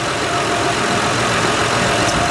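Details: 2006 Honda Odyssey EX-L after power steering pump replacement for shaft leak: smooth even idle, steady hum, no whine, groan or knock; pump quiet, no leaks.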